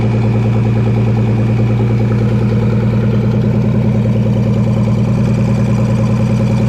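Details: V6 engine in Ford 2N tractor, warming up after carburetor vacuum leak plugged: steady even low thrum at idle, no hunting, stumbling or hiss; smooth healthy idle.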